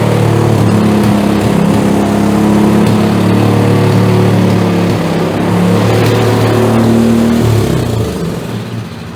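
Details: PowerSmart DB7006 snowblower, fairly new, engine warm after idle screw tuning, pulled without choke: holds steady even drone with no misses or surging; running smoothly.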